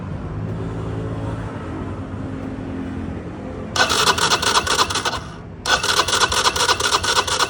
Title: Cold hard start